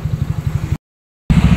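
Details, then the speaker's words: Honda Vario scooter with SPC 59 engine build after fixing high-compression detonation, ECU mapping unchanged; short even putter at idle with steady low pulses, no pinging. "Oke teman-teman alhamdulillah nih ya setelan udah enak ngerik udah enggak ada Power udah ngisi"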